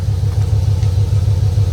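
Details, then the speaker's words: Car idling after replacing failed crank position sensor and upgrading to Aeromotive fuel pump and Fuel Lab filter; fuel pressure 58–60, no leaks; deep even rumbling idle, pump no longer high-pitched, engine running smoothly. "the fuel pump sounds better too the fuel pump always sounded really high pitch like it was running out of voltage or it was just dying out this sounds a lot better"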